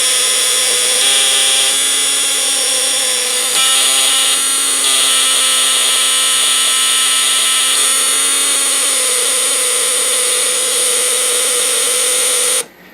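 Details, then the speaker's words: Elenco Snap Circuits project: the relay buzzes at a steady high pitch over the low whirr of a small motor spinning a fan, and the buzz shifts slightly as the fan load spins up; this is normal relay buzz under motor load. "So when our circuit's powered up, our motor spins with the fan on there, creating a bit of a load on it, and you hear our relay changes a little bit as that fan spins up."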